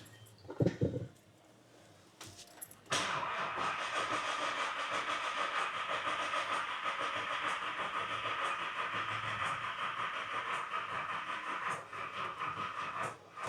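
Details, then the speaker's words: VW Golf R32 first start after timing chain replacement, freshly filled oil and coolant: starter turns the engine over sluggishly and unevenly, about three beats a second, without catching; flat battery, jump pack then connected. "Battery's flat. Right, jump pack is now on."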